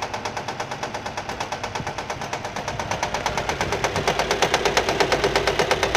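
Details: Nissan with sharp, regular slapping about three a second, quickening slightly as revs rise; engine found fault-free, noise came from a fraying alternator belt hitting the metal body.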